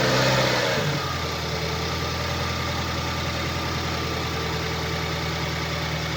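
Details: 2012 BMW 116i (E81), N43B20A 2.0 petrol, 122 hp, 119,875 km, at idle: a sharp, regular knock about four times a second rides over the engine; defective crankshaft connecting rod bearing, rod knock.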